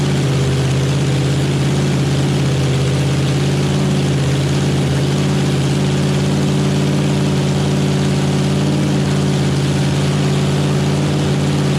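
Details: Chevy small-block nitrous drag engine, first start, cold: loud steady V8 idle with even deep rumble, good oil pressure, needs some carb tuning.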